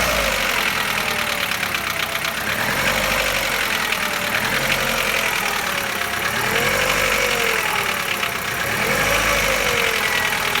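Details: Chevrolet Lacetti 1.6, cold engine at idle: a light, fast metallic tapping at about three a second rides over the engine, and it is almost inaudible once warm. Cold engine knock, cause unclear.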